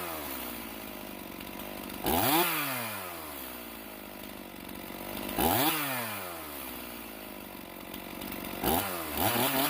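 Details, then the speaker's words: Stihl MS391 chainsaw after carburetor cleaning to cure a hanging idle: three sharp blips from idle climbing cleanly to high revs and dropping back; big stumble off idle gone, throttle response much better. "so now that we got this carburetor cleared out cleaned out you can hear the throttle response is much better"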